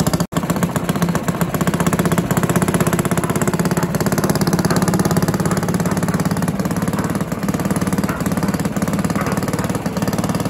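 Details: Barford cement mixer with Villiers 10 petrol engine, no choke: small single-cylinder runs steadily with an even low thump, no knocks or misses; starts very easily though compression not excellent; healthy normal running.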